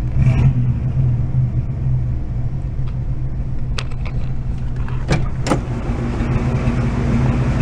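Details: 1986 Oldsmobile Cutlass Supreme, automatic, revived after sitting about five years, idling on a lift: a deep V8 rumble with sharp, irregular pops on one side, maybe both. Owner suspects an exhaust leak and a miss, possibly weak spark on one cylinder.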